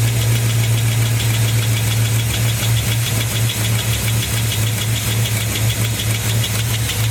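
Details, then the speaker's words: LS-swapped Caprice, 4.8 V8 from an 07 Silverado Classic, at idle: fast, light, even ticking tied to engine speed; traced to one failed hydraulic lifter of 16. "finally found out what the uh what that ticking was it was the lifter there we go it's just that one lifter out of all 16"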